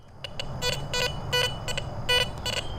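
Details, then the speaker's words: Garrett Vortex VX9 metal detector in multi-frequency mode with bottle cap reject raised from 2 to 5, sweeping a suspected iron target in a trashy park; choppy stuttering high-tone bursts breaking up irregularly; jumpy, broken target signal with jumping screen numbers. "Super jumpy. Come look at the screen here in a second. You can hear all that broken audio."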